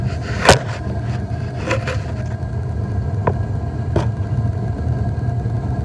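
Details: Whirlpool gas water heater after thermocouple replacement using a reverse-threaded nut: steady low roar of the lit burner holding an even flame, with a few handling knocks; burner stays running, normal operation after fix.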